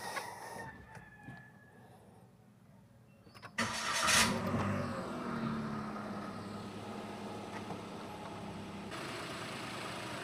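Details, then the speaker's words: Toyota Wigo G CVT (2026) at its 10,000 km DIY preventive maintenance, started right after the oil and oil filter change: a quick catch on the starter, then a smooth, quiet, even idle with no misses or ticking. Normal start and idle. "Smooth na smooth yung pagkaka-start natin, narinig nyo. And tahimik na siya ngayon. Maganda yung tunog ng makina."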